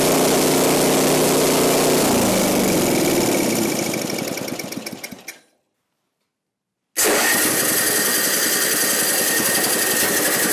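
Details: Ariens 5hp snowblower, model 932006, revived: single-cylinder engine runs with an even beat, winds down to a stop, then fires straight back up and runs steadily; healthy.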